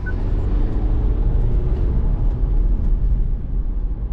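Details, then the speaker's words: BMW with N47 diesel and manual gearbox after clutch replacement, previously slipping: engine pulls cleanly under acceleration with a steady low rumble, no slipping flare and the earlier noise gone; clutch engages properly. "marche tout impeccable plus d'age qui patine il y a plus de bruit j'accélère c'est fini"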